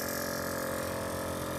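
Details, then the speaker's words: VIAIR 444c air ride compressor hard-mounted with wood screws in a trunk setup: loud, steady motor drone with strong hum and buzzing, about 76–77 dB, much louder than the VIAIR 310 Stealth Series. "all right we got about 76 to 77 decibels and that already sounds much louder than the 310."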